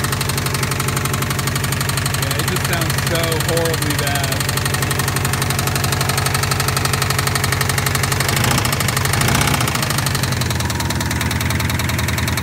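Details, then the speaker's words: Subaru blown engine after a quick acceleration and a loud snap on lift-off: rough idle with a hard, steady knock about four times a second; engine needs replacing. "It does start and it does run, but it sounds very unhealthy."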